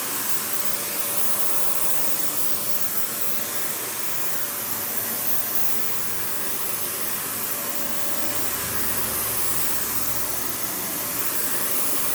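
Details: Panasonic upright vacuum, one of the last sold in the US market, with bare-floor switch, low-mounted power switch, auto height adjustment and brush roll that stops when upright: even steady rushing airflow, faint constant motor tone, no surging or rattles; normal running.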